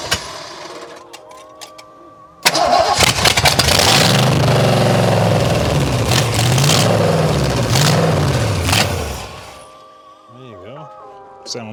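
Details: Nissan S14 with a V8 swap, first start on a temporary battery and distributor hookup with fuel poured in: cranks, catches at once and revs smoothly up and down for several seconds before dying out; the V8 sounds healthy and even.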